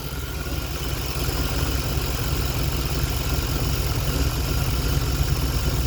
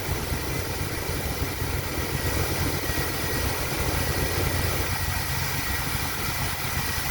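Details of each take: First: 1989 throttle-body-injected truck after the fuel tank, lines and clogged pre-filter were cleaned: low, even idle rumble that holds steady and builds slightly, with no surging or stumbling. The engine runs smoothly. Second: TBI truck just after a cold start, following tank, lines and pre-filter cleaning, fuel pressure 11–12 PSI: cold idle is mostly steady with an occasional small stumble or pop, a slight miss. Cause not determined.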